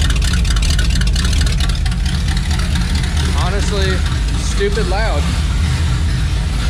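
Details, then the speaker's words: Chevelle V8 on newly fitted exhaust with open pipes and no mufflers: very loud, deep, constant low booming drone under steady revs, heard inside the car; mufflers still to be fitted. "the drone inside just from starting at pretty rough yeah throwing in here is very bad"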